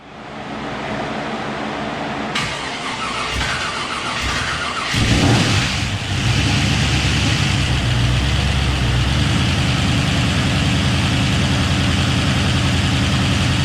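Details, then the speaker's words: Engine fired for the first time after rebuild with replaced crank, new bearings, Mellings high-pressure standard-volume oil pump, ARP head and balancer bolts; converter spacing suspected as prior cause. Smooth, steady idle with no knocking; running smoother than ever, possible slight lifter tick while oil builds. "everything's just right it's fired up so much better it's running so much smoother than it ever had"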